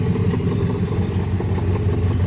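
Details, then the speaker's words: 1977 Dodge Monaco 318 V8 with Lean Burn, idling with a deep, rapid, uneven puffing slap; thought to be timing chain but diagnosed as an exhaust leak, crossover pipe disconnected from muffler, to be cut, plugged and welded. "I'm already diagnosed this problem may not be able to hear it on video but it sounds like it's got a little slap or something"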